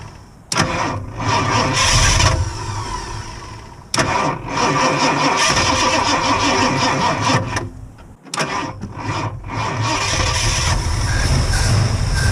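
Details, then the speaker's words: 1969 Ford Mustang carbureted V8, first start after fuel issue, gas just added: catches after a couple of cranking tries, then runs fast and loud, holding a high idle that won't settle. "Okay, well, it runs. Idle is way too high. Tried to choke it out with my hands, but it just wouldn't go."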